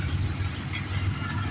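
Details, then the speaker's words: 2004 Monte Carlo left idling for a while, compared with a Camaro running nearby: steady low rumble with an even beat and no knocks or ticks; normal idle. Oil is leaking, which the owner hopes is from the oil filter side. "And you hear how that Camaro sounds over there. And then hear how this little bird sounds."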